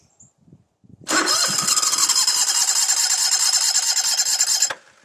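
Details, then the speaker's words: Toro SW 2400 lawn tractor small engine, started with choke: a few faint cranking turns then it catches and runs steady; battery dipped from 12.7 to about 10 volts on cranking, then 13.57 volts running, charging system working; normal start. "But you saw that voltage go down to around 10 volts, and that's about the minimum that you need to get one of these things to start up. The other thing you notice is there's now 13.57 volts, and that means the alternator and the charging circuit is working on this mower."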